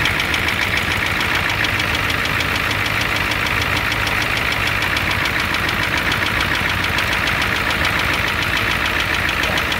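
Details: 1988 Ford F250 7.3L IDI diesel at idle: fast, sharp, steady rattling tick, harsher than normal clatter; engine knock with a high-pressure fuel line leak, white/grey exhaust smoke, smoke from the oil dipstick, oil in the add zone.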